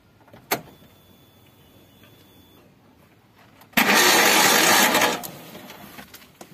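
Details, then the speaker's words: Suzuki APV (G15 engine) that suddenly died while driving, cranking: starter spins fast and even with no compression pulses and no visible cam movement; timing belt suspected snapped, still to be confirmed. "di sini nggak ada pergerakan waktu kita starting, berarti tandanya timing bel putus."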